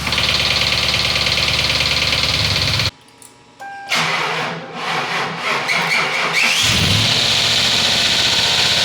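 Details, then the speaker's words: 2004 Ford Crown Victoria 4.6L 2V after timing chain replacement, on booster pack: runs, dies, refires with uneven rapid knock before settling; intermittent hard knock on startup, cause unknown. "Noise goes away and then it comes back. That literally has me scratching my head. I have no clue what's going on. It sounds, I don't know, it sounds hard, a hard knock."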